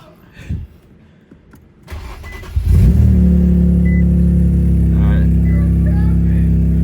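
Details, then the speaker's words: Infiniti Q60, about 600 hp, running very lean (AFRs 17–20 while driving, jerking), fuel rail sensor code: cranks and catches, then steady low idle about four beats a second, no obvious stumble at idle; cause unconfirmed. "so right now it's not idling that bad but when I was driving to work this afternoon afrs were from 17 to 20"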